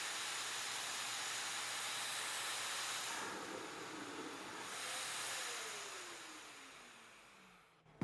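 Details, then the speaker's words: Harbor Freight Hercules 12-gallon HEPA dust extractor: after the sander is switched off, steady hiss then a surging whoosh as the filters are pulse-cleaned, motor hum falling; normal self-cleaning. "What it was doing was cleaning the filters. Um, you could hear it pulsating to clean the filters after the sander was turned off."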